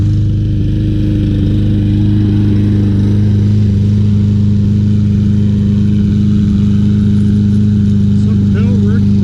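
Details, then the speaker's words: Troy-Bilt TB200 self-propelled mower with 625EX engine, after carburetor cleaning, fresh gas, new spark plug and new flywheel key, holds steady speed but runs rough with occasional skipped firing; engine miss, cause unknown. "very nice looking mower definitely can hear that miss any suggestions let me know"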